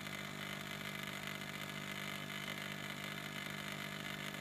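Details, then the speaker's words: Ford 6.0 Power Stroke F-250/F-350 Super Duty electric vacuum pump, line reconnected, drawing down to its target vacuum before shutting off: quiet, steady electric buzz with even pitch, no grinding or stutter; normal pump operation. "hook it back up and see if it draws down and shuts off so just take a second here it it'll get to the desired"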